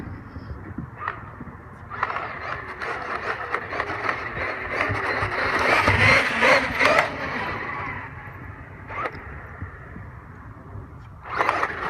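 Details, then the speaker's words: Traxxas X-Maxx electric RC truck driving in bursts, with sharp clicking through the drive from a failing rear differential whose gear lost a section of teeth, the second time this has happened. "Can you'll hear it in the previous two videos the rear the clicking sound of a rear diff failing"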